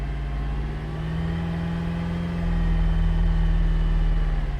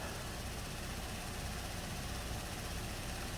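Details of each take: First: 2017 Buick Enclave after water entered fuel tank during boat launch, just restarted: engine revs roughly with uneven stumbling beat then drops back, flashing check engine light; misfire expected until water purges from fuel rail. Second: 2017 Buick Enclave, crank no-start after water entered fuel tank at a boat launch, now running: steady even idle, no misses; live data shows high-pressure fuel rail 580 matching desired, desired low-side pressure 57.58 psi, running fine.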